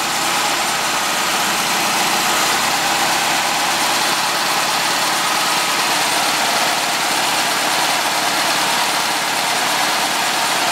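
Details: Air-cooled VW flat-four, started slightly cold, after sealing an exhaust leak near the #2 exhaust port with silicone and adding a baffle. Steady idle with an even hiss, no exhaust puffing or ticking: normal idle.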